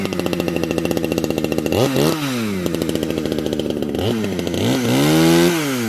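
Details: Modified Husqvarna 455 chainsaw, decked, new home-made exhaust pipe: crisp idle buzz, revs snap up and fall back twice without stumbling; strong, healthy running.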